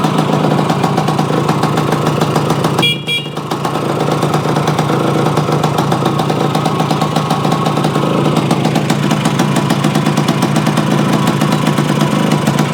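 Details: Yamaha AT-1 to CT-1 conversion two-stroke after carburetor fix and oil pump priming, choke on, premix plus oil pump: crisp, even ring-a-ding idle with steady beat, one brief dip, no misses; normal idle.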